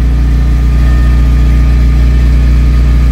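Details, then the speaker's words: Vauxhall Cavalier Mk2 at idle after temporary weld repair of the original exhaust (slight seam leak, small pinhole remaining): steady even idle, deep burble about four pulses per second, no ticking or puffing; normal idle. "chuffed with that, considering that was a total sort of bush tucker fix, if you like. That's pretty good. It sounds alright."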